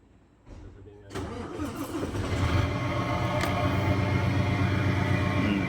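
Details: Tractor head with a 6M70-T7 diesel and 16-speed gearbox that previously cranked without starting; problem now solved. Brief crank, then it catches at once and settles into a steady, even idle. A clean, healthy start.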